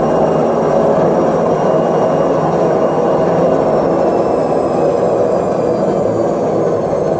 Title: Front load washing machine noise problem #washingmachine #viral #multiairsolutions